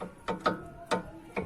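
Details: Hyundai HB20 front suspension: four sharp dry clacks about half a second apart as the loose stabilizer link is rocked; worn stabilizer link causing the knock heard inside the car, being replaced.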